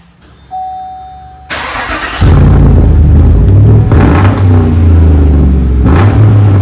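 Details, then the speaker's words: 2015 Chevrolet Silverado V8 after TIG-welding the broken-off exhaust behind the aftermarket muffler, cats retained, factory-style tailpipe: quick crank, then deep even burble, not too loud, no ticking or rasp; exhaust sealed. "all right so it's our aftermarket Muffler um it's not going to be too loud cuz I'm picking up the pipe size and it's just kind of a factory tail pipe"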